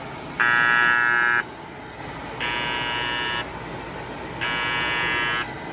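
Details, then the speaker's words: Kyungdong Navien agricultural produce dryer with E-1 overheat error: loud buzzer in one-second bursts every two seconds as the bimetal over-temperature safety switch trips and cuts power; the sensor tests fine and the switch won't reset. "이건 애가 우는 거야. 애가 우는. 이 가열되면은 이게 안전 스위치가 이게 작동이 됐다는 거야 지금."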